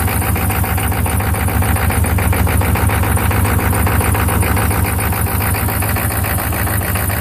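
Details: 1995 Chevy 6.5 turbo-diesel idling with a heavy, uneven, lumpy lope instead of smooth pulses; rough idle, cause unknown.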